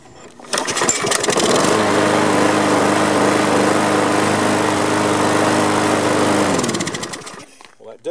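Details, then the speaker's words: Lawn mower after its flattened spark plug was regapped from 0.016 to 0.030: it runs several seconds with a lumpy, unsteady beat, then shuts off. It still runs rough, possibly from bad gas; the oil is thick and brown. "helped i still think it sounds pretty junky but uh but it might be the bad gas"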